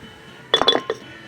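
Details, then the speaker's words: Old part removed from the truck during a stud replacement job, shaken by hand: a burst of four or five light metallic clinks from something broken loose inside; it shouldn't rattle. "you hear that it shouldn't be doing that it broke in there it shouldn't be rattling like that so"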